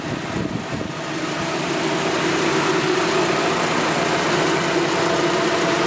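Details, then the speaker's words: Honda H22 engine (BB6 Prelude) at steady warm idle after tensioner work: a light, fast ticking from the top end over the idle. Lifters/valve clearance need adjusting, which should quiet it. "that that noise I don't know if you can hear it on camera but that noise is the uh the lifters you know they need to be adjusted which is one of the things I'm going to be doing pretty soon so it should be quieter after after that"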